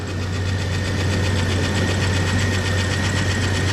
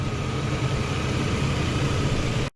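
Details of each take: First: S10 Xtreme with newly installed 4.3 V6, first start after oil fully bled down: steady idle with light, fast, slightly uneven ticking, first thought a lifter tap, found to be the distributor rotor button rubbing the used cap. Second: S10 Xtreme with newly installed 4.3 V6, after first test drive, hood open: smooth, even low idle with no knocks, ticks or misses, nothing leaking or spraying; engine sounds healthy.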